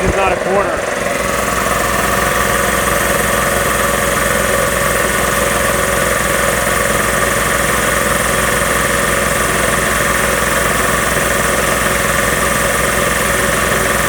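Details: Magna Force air compressor after repairs, with a new foam filter, set to cut off just past 160 psi: steady, even motor drone with a constant pumping beat, no knocks or squeals. A bent pipe leaks afterward. Building pressure.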